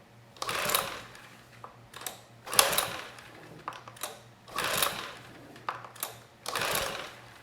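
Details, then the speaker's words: Sportsman GEN2200DFI 1800 W dual-fuel inverter generator (Yamaha MZ80 clone) now on gasoline, spark fixed and compression tested fine, choke on: repeated rasping rope pulls about two seconds apart, never fires; owner suspects timing. "let's try it with the choke off I'm kind of surprised this didn't fire up"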